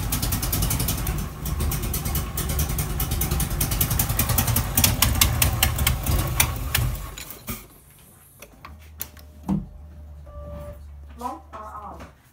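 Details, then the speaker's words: Nissan Z31 300ZX engine after teardown and reassembly, running rough with a loud hissing rush before dropping to idle; air leaking out the side of the intake manifold from a couple of bolts left loose. "I left a couple intake manifold bolts loose hold them no to roll them and that sound was air just like viewing out the side of the intake manifold"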